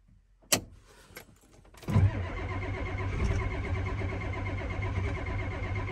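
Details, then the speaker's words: Ford F250 7.3 IDI diesel at about 30 degrees: door clunk, then steady even cranking that never catches; no-start, glow plugs not working at all, owner suspects switch, fetching ether. "yeah gold plugs aren't working at all nope i'm going to go get some ether"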